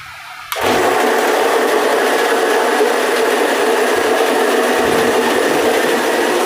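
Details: Homemade automatic motor coil winding machine, restarted after changing the slot and raising the set count above 300: loud, steady whirring rush starts abruptly, even pitch, no knocks or surges; running normally.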